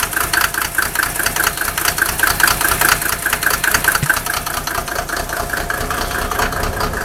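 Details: Mercedes OM603 diesel cold start, heavy smoke reduced only when injector lines 2 and 6 are cracked open, glow plugs checked good, idle still rough when warm; lumpy stumbling clatter with irregular miss; rough idle with misfire.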